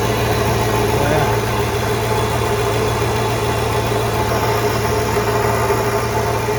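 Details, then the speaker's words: 1995 Ford Mustang GT after fuel pump and/or pressure regulator replacement: steady, even idle with a smooth low rumble, no misses, knocks or hunting; normal idle. "It starts up and idles good now. Now let's take it for a drive."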